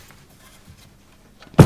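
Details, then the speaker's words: Kitty Hawk Standard tube amp (Mesa/Dumble clone), reverb tank bounce test with tank installed: faint hum then sharp thump and rattling spring tail through the speaker, meaning the driver transducer is good; spring reverb working. "if the driver transducer is all right you can hear the Springs Rattle and Reverb"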